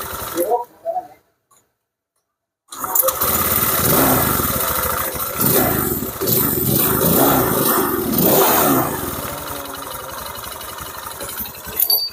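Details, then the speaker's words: Honda Vario 150 scooter engine running with a harsh clattery noise still present after partial disassembly; internal engine fault suspected, possibly the connecting rod, not confirmed. "oke teman-teman ini suaranya masih berisik Ini kemungkinan besar ini ada yang bermasalah di bagian internal bagian dalam bagian mesin ini saat diputar kayak gini nih"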